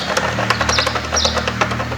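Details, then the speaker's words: Honda Titan 150 motorcycle with clutch noise and an oscillating clutch lever: loose metallic clunks as the clutch shaft is rocked by hand, showing heavy play from a worn shaft bearing, along with a clutch basket needing replacement. "E aí você movimenta esse eixo ó ó olha o tamanho da folga que está nesse eixo Então aqui tem uma folga"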